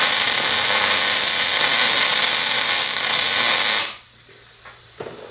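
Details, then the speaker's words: MIG welder in short-circuit transfer at 240 in/min wire feed and 18.8 volts: a steady hissing crackle like frying bacon for about four seconds, then it stops dead. "all right so you could hear it is like I guess people describe that as like a deacon frying sound I I weld a lot more than I fry bacon so it doesn't sound like bacon frying to me"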